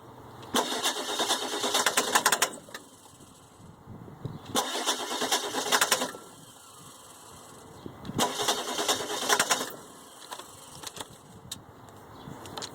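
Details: 2003 Ford E350 with the 7.3 turbo diesel. Three separate bursts of cranking, each a couple of seconds long, and the engine never catches or runs between attempts: a crank, no start, with the cause unknown.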